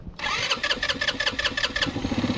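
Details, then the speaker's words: GY6 scooter that sat for a year, cranked on starter with a brake-cleaner spray: quick sharp pops, catching briefly then dying; owner concludes the carburetor is clogged. Fires briefly then dies. "oh yep and let's do that one more time it it fired up a little bit two guys right here so you can hear it oh don't want to go yep so that confirms it uh our carb is clogged up"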